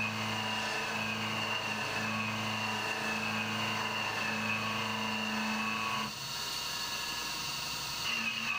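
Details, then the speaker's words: CNC mill interpolating a bore in an AR15 gas block with RPM lowered and new interpolation parameters: steady, clean high ring with no chatter. Normal smooth milling cut. "So I bumped the RPM down a little bit more with the new interpolation parameters, and it sounds much better."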